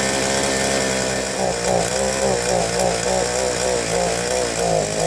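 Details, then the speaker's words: Southland two-stroke post hole digger auger after sitting with bad gasoline, new fuel lines: buzzes unevenly with wavering surging pitch, smoky, only runs on choke after long warm-up; carburetor suspected; two-stroke engine running rough. "So far, it only wants to go on choke. Obviously wants some warm up. Seems kind of smoky. Seems like it took a long warm up period."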